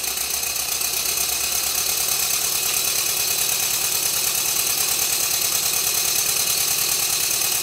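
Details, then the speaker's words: Rebuilt Stuart Twin Victoria model steam engine, baseboard on bubble wrap, after a minor timing tweak, re-oiling and silicone O-rings fitted to the crossheads: even, steady puffing about three beats a second, clean hiss, no knocks; running smoothly. "after a minor tweak to the timing and re-oiling all of the moving Parts this is what the engine now sounds like"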